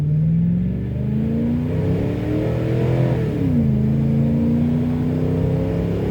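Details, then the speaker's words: Ford Super Duty 3/4-ton with 5.4 3V V8, after broken spark plug extraction, new plugs and SCT X4 tune: pulls hard on a wet road, engine climbing smoothly through a gear change with no misfire. "a little there cuz it's wet out but she pulls pretty good she's got lots of power cruise is real nice"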